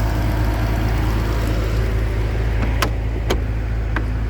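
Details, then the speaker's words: Salvage 2006 Bentley Continental Flying Spur, low mileage, about 90°F out, after start-up: deep even rumble, steady beat, no misses, taps or knocks; idling as it should, no check engine lights. "you can hear underneath the hood that the engine is hring right along as it"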